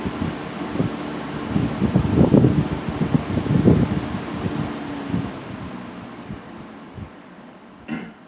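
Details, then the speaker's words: 1960s Phionex 16" box fan by Frigid, General Electric motor with oil ports, just oiled and serviced after running wonky; low speed after warm-up on high. Soft even motor hum, airy whoosh settling and fading at end; normal healthy running. "This has a really nice motor sound to it too, by the way."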